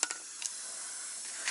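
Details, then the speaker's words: Air system, second leak found at a mainline quick-disconnect in the front bumper: steady high airy hiss with a few handling clicks; air leak at quick-disconnect fitting. "I have found a second link this is up in the front end up in the bumper and it's another quick disconnect it's pretty much a mainline though"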